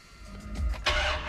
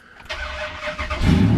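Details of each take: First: Ram Hemi truck cold start after sitting overnight, weak-crank issue worse when hot: starter drags and hesitates briefly before the engine catches; loose battery terminal suspected. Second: Weak cranking, worse when the engine is warm, blamed on a loose battery terminal, after a trick to snug the terminal connection, cold start: brief brisk cranking without dragging, then the engine catches; starter getting full current, normal cranking.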